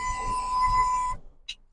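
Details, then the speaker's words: 1971 VW Combi T2a Westfalia (1600 cc single carburettor) right after the engine is switched off: a steady, fairly high electric buzz for about a second, then it cuts out; warning buzzer, cause unknown, to be fixed. "Ah, ça fait du bien quand ça s'arrête. Mais bon, on corrigera le truc."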